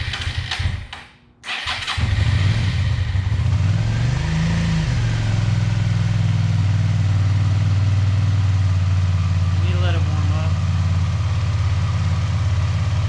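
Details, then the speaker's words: Long-sitting used Suzuki SV650 after a carburetor clean, throttle cables still loose. Short crank, one brief rev, then a deep, even idle that runs cleanly: a normal idle. "we're gonna have to take the airbox back off and tighten down the throttle cables but hey she's running"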